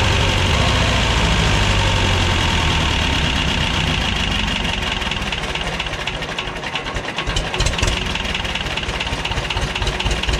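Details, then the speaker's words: 1985 Belarus 250AS diesel tractor, revived after sitting 8–10 years, after trying a fix: steady even idle clatter, firing about twice a second, no misses or hunting; normal idle. "Um this has been a a fun little day, fun little project. I'm glad to get it running."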